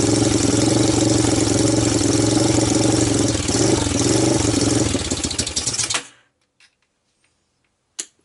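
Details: 1998 Honda TRX300EX single, abandoned a year, first cold start via jump box, portable CDI and starting fluid: loud uneven thump about 220 beats a minute, running rich, mild top-end ticking, then shuts off.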